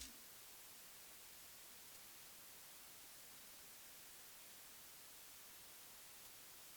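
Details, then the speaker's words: Focusrite Scarlett 1st Gen mic preamp with a dynamic microphone connected; two spectral spikes appear then drop, leaving a faint smooth steady hiss, no hum or crackle; normal preamp noise floor. "the two spikes at first they're there and then they drop down and you have a very clean smooth noise that's really not a problem that's just a normal noise you would usually have"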